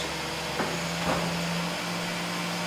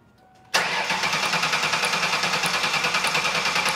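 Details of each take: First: 2001 Ford Taurus 3.0L V6 with crank-no-start, fuel pump found shorted at about 1.2 ohms (spec 8.5–15.5): after replacing the fuel pump, a short crank, then it catches and settles into a smooth, steady idle. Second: 2001 Ford Taurus: cranks steadily for about four seconds with even compression but never starts. Inertia switch is set and spark is present, but the fuel pump is not heard at key-on, pointing to a failed fuel pump.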